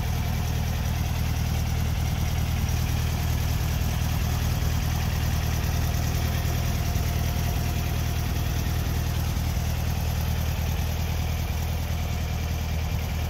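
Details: 1964 VW Beetle, 64K original miles, air-cooled flat-four, warm after the electric choke kicked down: steady low even rumble, no misses or knocks. Normal idle.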